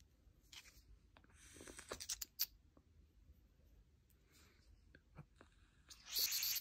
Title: Voopoo Drag Nano 2 spitback & misfire